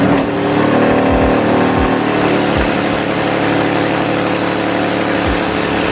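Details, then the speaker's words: Car at cold start, exhaust leaking at the headers after the fiberglass was removed: loud rasp rising and falling with revs, with a leaky puffing hiss under it. Exhaust header leak. "so as you can kind of see it's kind of loud but at the same time it you can hear the air leaking that's the only thing I actually don't like"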